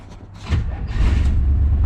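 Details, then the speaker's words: Van with a 350 V8 that had not moved in about 2 years, on its old battery: a strong, quick starter churn with a deep even rumble. Normal cranking; the engine still turns over easily. "And the battery, this thing still turns over, dude."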